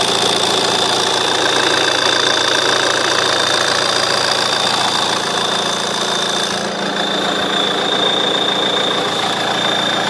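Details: JTD diesel at idle: a thin, steady high chirp, a quick repeating squeak, over the diesel clatter; the source is still being searched for and is not yet confirmed.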